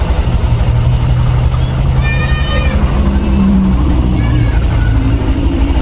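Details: 2021 Honda Beat New engine after a rebuild, injection issue being sorted: an even, low, unbroken idle hum with no misses or surging. Normal idle.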